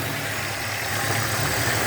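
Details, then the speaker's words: 2002 Hyundai XD (Elantra) after replacing spark plugs and plug wires in correct firing order, fixing cylinder 1 misfire: steady, even idle with smooth low hum, no stumbles; engine firing cleanly on all cylinders. "اهو الدنيا تمام اهو"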